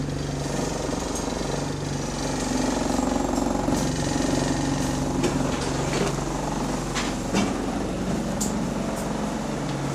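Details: GAL SE101 bus diesel engine at low speed under light load: rumble with a hard, uneven knock about four per second, typical of a worn connecting rod bearing (rod knock).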